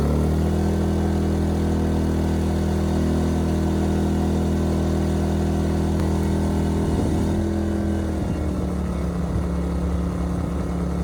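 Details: Ryobi RYI2300 inverter generator, 15 months old, after fix: stalling under heavy load solved by turning the easy-start knob further. Steady low hum, pitch wobbles briefly as load comes on, then settles and holds evenly; normal running under load.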